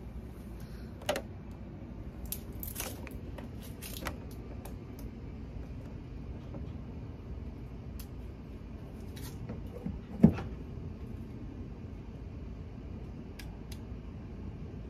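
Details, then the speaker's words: Tesla mobile charging connector plugged in to charge: a single crisp click over light handling noise as the internal GFCI resets. Normal; no click means no reset and no charging. "did you hear that click there so that is the correct click if you don't hear that click when you plug your car in it means that the gfci did not reset"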